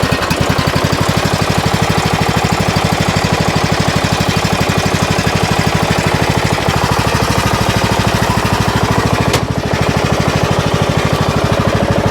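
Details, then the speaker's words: 2007 Craftsman LTS 2000 riding mower with swapped used Briggs & Stratton Intek engine and new HIPA carburetor, cold start after two days, hydro engaged and moving: steady even single-cylinder thump, quiet transmission with no whine or grind; normal running. "We are moving. Trans sounds nice and quiet though. I don't hear any noise at all."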